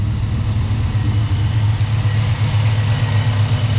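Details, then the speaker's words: Blueprint 377 stroker V8 truck on Holley Sniper EFI, new clutch, twin 2.5-inch MagnaFlow exhausts with cutouts: deep, even, smooth burble at idle, steady low rumble, no knocks or misses; healthy running. "Nice and smooth. A nice tone to it. Two MagnaFlow 2.5-inch exhaust going to the back."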